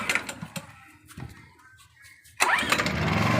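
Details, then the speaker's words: Honda EP1000 generator, petrol, cold recoil start with fuel tap on and choke closed. A few sharp cord pulls, then it catches at once and runs fast and steady on choke; the choke is released right after starting and the sound changes. Normal start. "Start ஆகிடுச்சு. Start ஆன உடனே முதல் வேலை இந்த சோக்கை release பண்ணணும். Sound வித்தியாசம் தெரியும்."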